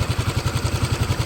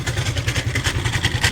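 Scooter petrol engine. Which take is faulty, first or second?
second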